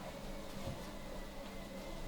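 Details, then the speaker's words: Peloton bike pedaled standing: quiet, even hum with no squeak or click; normal quiet pedaling. "all right i'm snapped in i'm pedaling and i don't hear anything"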